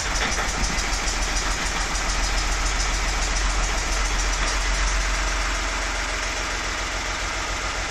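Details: VW Lupo after 1 year 3 months standing, gearbox not yet adjusted: steady even idle with a regular low pulse, no misses, knocks or ticking; sounds as if stopped yesterday, healthy.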